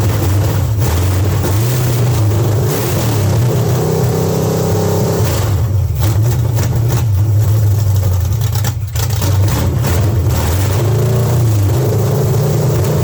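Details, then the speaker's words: Rebuilt small-block Chevy 350 V8 on a run stand revs roughly, stumbling as the throttle opens and hanging high; the accelerator pump squirts almost nothing until half throttle and the carburetor secondaries stick open. "well I think we got at least two issues uh going on with the old car roster here the squirters accelerator pump it ain't pumping hardly nothing until about half throttle and uh secondary to hang it open that's very dangerous you can blow one up like that and if it's on a vehicle cause you to wreck"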